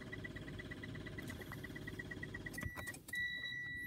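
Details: 2021 Mitsubishi Xpander GLS with stock battery failing; key turned gives rapid steady clicking about eight per second, no cranking, then a chime: no-start from weak battery.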